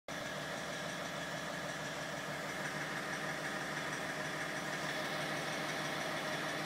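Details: BMW 330d E46 diesel at idle: steady idle with loose, irregular clacking about three knocks per second on top; abnormal engine knock, cause undetermined.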